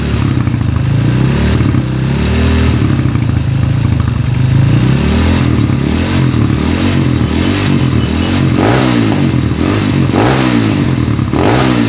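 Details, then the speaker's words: Honda CB motorcycle with stroke-up engine, vibrating badly, running: loud rough running with a harsh metallic clatter over the exhaust that rises with revs. Caused by a very loose cam chain tensioner in the head. "Google sekarang bisa kita dengarkan bahwa itu ada ke medik ya di bagian kop nah cakep menitip seperti klaker noken as sekocak seperti clave noken as gojek"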